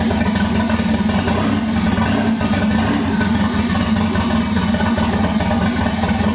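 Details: 1988 MK3 Supra with swapped 1JZ-GTE VVTi, just first started after fuel pump fix: idles with an uneven, lumpy pulse and slightly wavering speed, no clear mechanical knock. Owner believes rough running is wiring or plumbing, not mechanical; unconfirmed.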